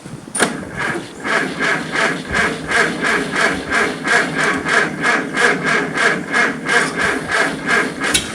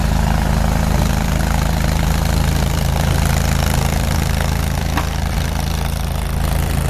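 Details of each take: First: Farmall Super C tractor after a blizzard at -5 F (25 windchill), kept on a battery maintainer: slow, even cranking about three turns a second for eight seconds without catching; hard cold start. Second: Farmall Super C tractor idling after a cold start at -5°F (25 windchill), kept on a battery maintainer, needing starting fluid to fire; heavy, low, even chug about four beats a second, no knocks or misses, normal idle.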